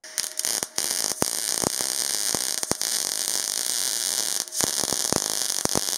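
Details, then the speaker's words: Parkside PMSG 200A2 multi-process welder in manual MIG mode, 0.8 mm wire on 0.8 mm sheet at 15.4 V and 54 A: steady frying hiss with several dropouts and pops, arc not perfect by ear, wire speed not adjustable; still penetrated through. "Résultat pas trop mal même si à l'oreille c'est pas parfait, comme on peut pas régler la vitesse de fil c'est moins pratique."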